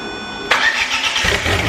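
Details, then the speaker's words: Volvo 340 with swapped turbo engine, first start after sitting 10 years: brief cranking, then a clean catch into a steady, even idle with no knocks despite most pipes still disconnected; healthy start. "But yeah, as you saw, all starts, all works. Idles pretty well actually, considering pretty much all of the fucking pipes are disconnected."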